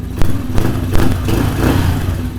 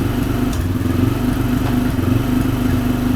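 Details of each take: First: Small carbureted engine, choke fully off, cold before warm-up, pilot air screw not yet tuned: low steady thump at relaxed idle, no hunting or misfires; normal idle. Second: Small carbureted engine, choke completely off, still cold: fast steady idle then drops to a slower even beat near eight seconds as idle is lowered; idle set way too high.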